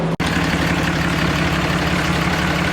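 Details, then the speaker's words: Truck diesel after coolant bled, heater core air pocket cleared, EGR suspected: steady even idle clatter, smooth low rumble, no misses or knocks; slight smoke at first start then none; normal idle. "she's purring good I'm excited"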